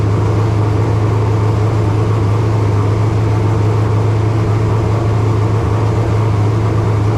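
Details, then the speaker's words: Race car's first engine start of 2025 after filling the cooling system: loud, steady note held well above normal idle without settling; high idle, exact rpm unknown because there is no tachometer. "uh it's idled up a little bit thing was I don't have a tack so I don't know exactly how many RPMs it was turning"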